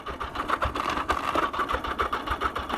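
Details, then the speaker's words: 1982 Yamaha XJ750 Maxim barn find (new battery, cleaned tank) on its first ride with a little choke: a lumpy, uneven putter with surges and dips, struggling as if about to stall; it broke down, cause unknown. "you hear that yeah something's up and now we're stuck"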